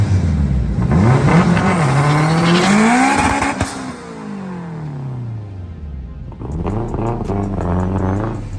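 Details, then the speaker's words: Turbo FD2 Civic Si with an FX500 clutch, cooked by a third-gear burnout. Revs climb and flare in each gear while road speed lags, with slipping audible right on the shift to second. Clutch slipping; upgrade to a Clutchmaster twin disc planned. "So I tried a third gear burnout. I kind of, cooked the clutch. You guys can tell first was second. Right when I hit second, you can hear the clutch slipping."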